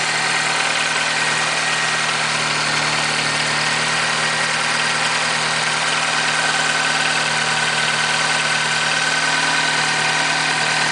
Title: RCZ rattling noise when cold started